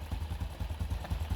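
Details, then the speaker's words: 2019 Honda Wave 110 single-cylinder after carb, top and side overhaul (gaskets, bearing, broken parts replaced, reversed clutch-side assembly corrected): steady even low putter idle, no clatter or clutch-side rattle; quiet and healthy. "Tunog brand nyo na. 2019. Ayan na yung motor. Finish na. Oh. Tahimik na. Wala nang ano, parang makalansing."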